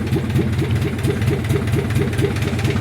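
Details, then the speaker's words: 1944 Ford 2N tractor running with no muffler fitted, on a small drop tank: loud, steady, even exhaust chuffing with no misses or knocks. It runs nicely; normal running. "Man, this thing runs so nice. I don't even have a muffler on it. I do have a muffler for it though."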